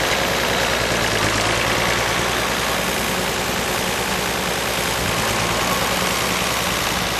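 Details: Unrestored 1955 Allis-Chalmers WD-45 diesel tractor on a warm summer day, already run earlier, lightly preheated: steady even diesel clatter at a low constant beat, no misses or knocks; normal healthy running.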